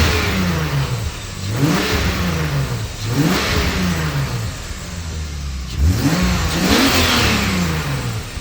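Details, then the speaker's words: BMW E30 with turbocharged S52 engine and relocated wastegate, freshly finished: three clean throttle blips climb crisply and drop back to a steady idle without stumbling; engine revs freely and healthily. "this thing is ready to rip we're gonna let you guys hear it give you a few revs might do a little burnout"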